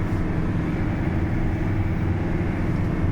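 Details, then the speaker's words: GAZelle van on a road test after a transmission whine repair: steady low drivetrain rumble while pulling away in fifth and fourth, with no whine or howl; previously it whined loudly in fourth at 60, and the rear axle is now quiet. "Всё чётко, мост не воет, не гудит, всё отлично."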